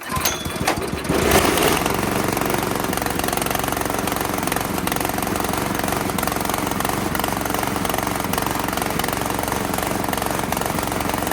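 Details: Italian-made Workman 2 cement mixer with a Honda GX160, after fuel was turned back on following fuel-system work: runs unevenly with an irregular, lumpy beat and ragged exhaust note. Still running rough; cause not found.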